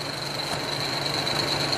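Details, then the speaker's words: 1995 Jaguar Vanden Plas straight-six idling warm, fan relay switch plugged in: steady even fan whoosh over idle, cooling fans on low speed, fans off about a minute later; no fault found. "Let's plug in our fan relay switch. So I believe that's low speed right now."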